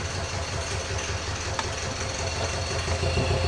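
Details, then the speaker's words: Ford Ranger diesel with broken engine running: lumpy, uneven idle with an irregular thump about four times a second, one cylinder dropping out, chuffing out the breather; judged a holed piston, the most common failure on these. "There's definitely an O in that piston. I think you agree as well. It's the most common thing for them, isn't it?"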